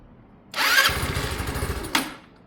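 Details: Sinnis Harrier motorcycle, cold start with battery boosted and brand new carb: catches with a rough blat for about a second, then dies as throttle opens; won't take revs cold.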